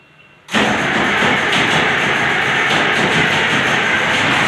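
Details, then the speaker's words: White 4-175 tractor diesel, first start after rear main frame repairs, on a second try after priming. Catches instantly and settles into a steady, even run with no misfires, knocks or stumbling; normal engine start. "okay we primed the engine so we're going to try it again let it rip"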